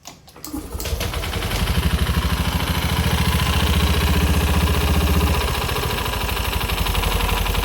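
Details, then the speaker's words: Honda Scoopy FI, run out of engine oil, oil pushed into the air filter box; cam chain adjustment checked and ruled out: steady low knocking near four per second under idle, tracking engine speed; piston damage confirmed. "Nah masih ada bunyi berarti sudah dipastikan adanya kerusakan di bagian piston ya"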